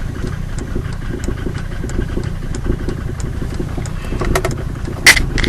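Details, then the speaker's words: 1990 Mercedes 300D diesel with ALDA adjusted for economy, just after cold start, shifted between park and drive: uneven clatter with irregular ticks and lumpy idle, smoking; rough idle. "So, rough idling and smoke,"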